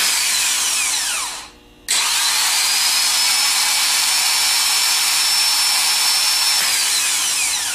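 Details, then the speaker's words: Rebuilt Nippon Denso starter free-running on the bench after new battery-side contacts were fitted: smooth, even high-pitched whirr that spins up quickly and holds steady rpm, no grinding or clicking; healthy starter. "of rebuilders the seasoned ones they mainly go by the sound so we're going to try and hear a nice smooth run and we want to hear to achieve a certain rpm like this"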